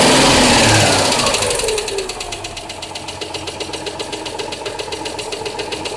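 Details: Citroën Dyane 6 engine at idle: crisp, even tick about four times a second riding over the running, source unclear; engine ticking noise.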